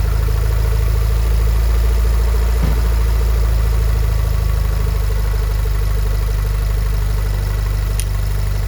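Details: VW Golf 7R with Racingline stage 3 IS38 hybrid turbo, VIS HPFP and decat Scorpion exhaust, idling after turbo swap while pipework is checked for leaks: deep, steady idle with an even low throb and no misses, knocks or hiss; healthy.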